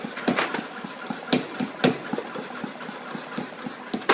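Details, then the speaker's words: Shop hand pump sprayer with a brand-new pump cup fitted, being pumped to pressurize the tank. Irregular whooshing strokes with short puffs of air, building pressure easily. Normal hand pump operation. "Doesn't take a lot. I can hear the air coming out into that."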